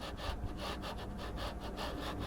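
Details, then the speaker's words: JGMaker Magic 3D printer: a dry rasping scrape that surges as the bed moves back and forth, roughly twice a second; the linear bearings are noisy on the rods, and a little oil may quiet them. "voilà c'est le bruit des berlines qui fait ça"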